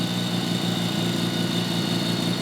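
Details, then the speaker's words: Engine with new turbo and wired-up blow-off valve, running; constant high whistle over a steady drone with an airy rush, air felt blowing out in a ring; compressor backflow, air coming back out of the turbo even on boost. "But that is all, right now, air just coming out of the turbo. I can feel air blowing on my hands from here."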